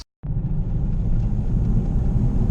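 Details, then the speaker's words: 2005 Ford Escape after driving through deep water, tie rods recently replaced: deep, heavy rumbling shudder from the right front under acceleration, felt in the steering wheel and gone when coasting. Worn inner CV joint on the axle. "here's an example of what this thing's doing on acceleration once you let off the gas there's no more vibration or or feedback in the steering wheel but soon as you accelerate again can I hear it and feel it it sounds like it's coming from the right front"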